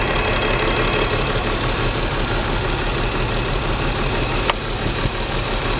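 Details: BMW M54 325 cold start every morning: lumpy, uneven idle with irregular stumbles, misfire logged in cylinders 3 and 5, sometimes 4. Crankcase ventilation valve, spark plugs, coils and fuel filter replaced, injectors cleaned. Misfire stops once coolant temperature leaves the blue zone. Cause unconfirmed.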